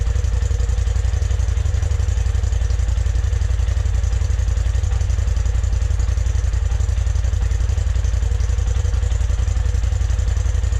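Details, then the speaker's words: 2020 Polaris RZR Turbo S Velocity turbo engine on the stock exhaust, before a Trinity Stage 5 slip-on: deep, even exhaust pulses at a steady rhythm with no clatter or misses; normal idle and revving. "I'm going to go ahead and do a stock exhaust sound. so you guys can see what it sounds like before and after."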